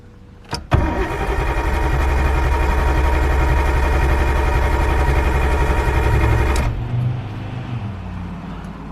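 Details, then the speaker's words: Nissan R32, rarely driven: starter cranks slowly for about six seconds with ECU clicking and never starts, a flat battery; jump start followed. "I can hear the ECU clicking which means the batteries not working properly yeah that sounds like a flat battery"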